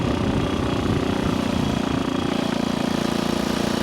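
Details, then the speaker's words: Vintage small motorcycle, a Kawasaki KS125 or Honda C200, revived after decades of sitting, ridden at about 30 mph: even, quick engine beat pulling steadily with no misses; running well. "We're doing 30. This thing runs good."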